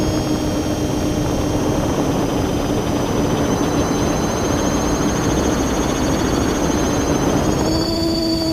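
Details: Drone motor spinning with camera tilted 15° down, causing bad vibrations: steady high whine with a rough buzzy edge, holding pitch then stepping up near the end; owner suspects ESC or motor bearings, unconfirmed.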